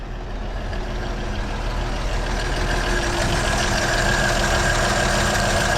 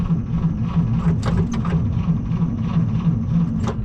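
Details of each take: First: 1937 Chevy Master Deluxe Coupe, long sitting, just started cold after battery charging, about 18-20 oil pressure: steady, even low rumble with a smooth regular beat and no knocks or misses; normal idle. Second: 1937 Chevy Master Deluxe coupe, unrun about a year and a half, battery unhooked: starter drags engine in slow uneven chugs, about three a second, never catching; battery too weak, needs charging.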